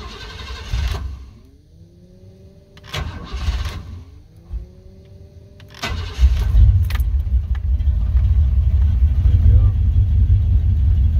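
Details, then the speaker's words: 1988-1998 Chevrolet C1500 V8 pickup with 246,000 miles on the original cap and rotor, after ignition repair for a crank-no-start that began following rain and humidity: long cranking bursts, then catches into a steady, even, deep idle; slow start due to prior flooding. "that took a bit because the truck was a little flooded before so there was a lot of gas in the cylinders but now it's running better than before 100 percent"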